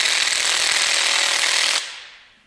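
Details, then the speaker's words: 14.4 V cordless impact wrench removing parts during a Kubota engine swap on a Bandit 2900T stump grinder: fast, light hammering rattle for under two seconds before quitting. The battery indicator showed yellow, a low battery; it was swapped. "This one, oh, we got a yellow battery. That's why. We'll have to swap batteries real quick."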